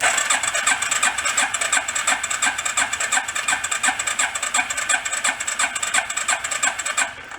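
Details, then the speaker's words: Rat rod quad cranking without firing during a compression test after running: even strong beats about three per second; compression about 110–115 psi, up from 40. "pretty good about 110 115 a lot better than 40"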